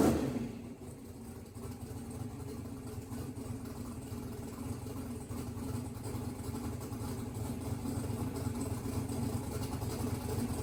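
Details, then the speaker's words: Mississippi Queen V8 after splicing a pulled-out CDI 600 wire; exhaust pipe very hot. Brief catch at startup, then steady, even low idle without knocks or misses. Runs good with good oil pressure; timing not yet verified, a couple of fuel leaks. "Well, she runs. Got good oil pressure. Good. Yeah. Runs good."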